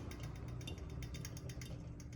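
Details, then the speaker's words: KDK ceiling fan with worn blades; the light kit is shakier than it used to be, giving light, quick ticking over a soft motor hum. At times this fan also runs slower than the other three KDKs, though it was once the fastest. "It's kind of more shaky than it used to be. It's kind of like the one that was in my grandmother's bedroom."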